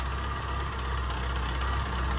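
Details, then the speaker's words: Classic Mini after carburettor tuning, stoichiometric mixture through the rev range, dashpot oil lightened: steady, even low idle with no knocks, hunting or stumbles; runs cleanly, all set up and ready for driving. "so we're all done this is all set up ready for driving runs perfectly"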